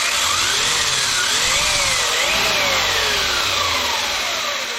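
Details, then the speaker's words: Kyosho MP9 Evo 1/8 electric buggy after replacing worn rear drivetrain cups that caused binding, overheating and bass drone: clean motor whine swoops with throttle, no bass drone underneath; drivetrain healthy. "And as I turn on the car and give it nothing seems to be binding at all, man. So it sounds normal."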